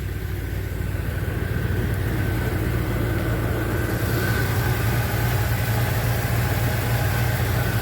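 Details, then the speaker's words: 1978 Chevy C10 small-block V8 started after sitting a few days, battery just reconnected. Smooth, even idle burble with no knocks, misses or ticks; owner says it has never run this well since he has had it: normal idle. "this whole truck has never run this since i've had it never run as good as it does now"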